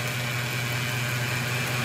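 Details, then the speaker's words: A Mercedes CL500 idles smoothly after its belt is refitted, with a thin, steady high-pitched whine over it. The mechanic believes the noise is the water pump; the pulley no longer wobbles. "Aber ich glaube nicht, dass dein Geräusch weg ist, weil ich meine, es ist die Wasserpumpe. Aber starte mal. Also, für mich ist das die Wasserpumpe."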